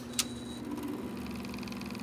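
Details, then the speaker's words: Zenith YT960 console's Z57 (Wollensak 5730) reel-to-reel tape deck switched on: clicks, then a fast, light rattle over low motor hum; the rubber drive parts and pressure roller are hardened, the roller lumpy, and a belt is missing. "his main on the flywheel they're all hard even the uh the pressure roller right here uh for the tape it's hard it's got a lump in it as well"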